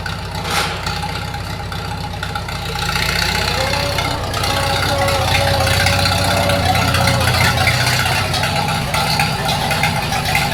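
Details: 1942 Farmall H tractor, hand-crank started in the garage after transmission teardown and repair of a scraping/screeching noise and hard reverse shifting, carburetor not yet adjusted: four-cylinder catches and settles into a steady, even beat that picks up slightly and holds; normal running.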